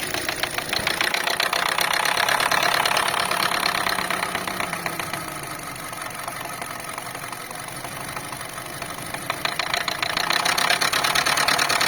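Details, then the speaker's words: Car engine running with a light, quick tapping rattle in the bay from a loose, dangling hose or filler neck; rattling loose hose. "а вот что стучит у нас на этих слушайте болтается как это шланг Да горловина"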